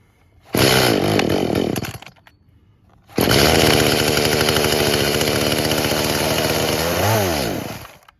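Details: Traded-in chainsaw with new bar and chain, busted primer, started on choke: fires, revs unevenly and dies back instead of idling. Choke made no difference. Suspected fuel issue (tune, dirty carb or bad diaphragms). Won't idle or reach full rpm.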